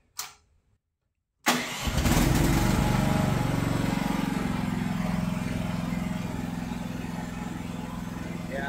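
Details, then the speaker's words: Chinese mini excavator diesel: after a quick crank it settles into an even, steady low idle with no hunting. This follows fixing an interference under the hood that had stopped the throttle from reaching low idle. "that idles down a lot better. Much better. Much better."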